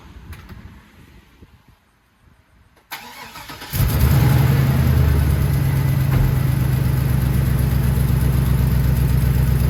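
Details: HD truck fired up after a repair and a coolant top-off: brief crank, then it starts straight away into a steady, deep idle with regular pulses and no knocking; normal start and idle.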